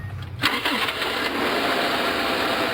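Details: 1997 Subaru Legacy Outback after replacing both drive belts: quick crank, a catch, then steady even idle with no squeal or chirp from the belts; healthy start on test run.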